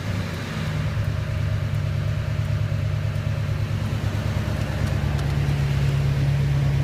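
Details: Engine holding speed: steady low drone with an uneven, stumbling pulse, sounding like a miss on one cylinder; no black smoke, owner suspects a bad injector, not confirmed.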